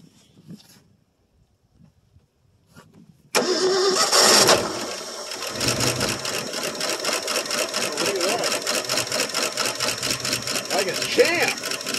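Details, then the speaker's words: 1965 Ford Fairlane 500, 289 V8, three-speed column manual with overdrive, unstarted for 2.5–3 years. Cold start in neutral on fuel poured in, no tank. Brief cranking, then it catches with a fast top-end clatter: lifter noise until oil pressure builds. "champ it hasn't ran for 2 and 1 half 3 years you tell by all the lifter noise until it got the oil press"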